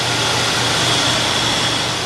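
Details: 1979 Hurst Olds T-Top V8 idling on old stale gas: steady even idle, no misses, knocks or ticks; runs and sounds good.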